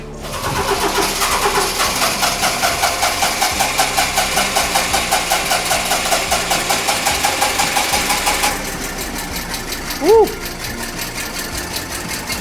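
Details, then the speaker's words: 1992 Honda Acty with new distributor and ignition parts: small petrol engine idling with an uneven rapid knock about 158 per minute; timing too low, distributor needs turning. "She sounds like an angry neighbor knocking on your door. >> Looks like we're going to have to turn the distributor. >> Turn the distributor a little bit. >> Time is too low."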